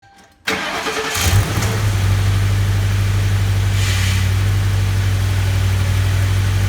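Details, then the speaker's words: 2004 Ford Crown Victoria V8 at 170,000 miles with two broken exhaust manifold studs at the back of the driver's side; catches and idles with a faint, regular tick over the rumble: exhaust manifold leak tick. "well you heard that right the notorious Ford broken exhaust manifold bolts sound this here is my define 2004 Ford Crown Victoria 170,000 miles on it"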